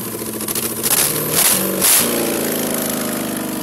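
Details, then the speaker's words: 5.3 LM7 V8 from a 2001 Tahoe swapped into a 1995 Impala SS, rebuilt with ported heads, standalone truck PCM, no exhaust fitted so loud; cranks, fires, blips up twice, settles into smooth even idle: normal start and idle. "so like I said there's no exhaust on it right now that's why it was that loud"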